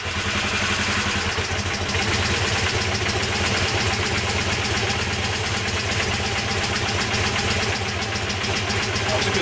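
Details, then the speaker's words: Honda CB250N twin started stone cold on choke after the right carb's idle circuit, which seemed to get no fuel, was adjusted through the float bowl. It settles into a steady, even idle with both cylinders firing and both exhausts warm. "start that's running both exhaust are War okay"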